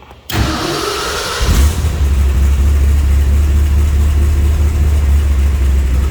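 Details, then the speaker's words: 1967 AC Cobra replica (titled 1989 Ford) with 390 big-block V8 and EFI, in neutral; fuel pump primes, push-button start, quick crank then settles into a deep, steady, lumpy idle with no knocks or ticks, healthy. "Everything come on here with the EFI. Fuel pump ran, push button start."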